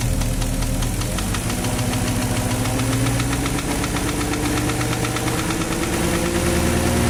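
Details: Porsche Cayenne 4.5 V8 M48.00 engine at idle with rapid, even metallic knocking locked to engine speed; internal engine knock, cause unknown.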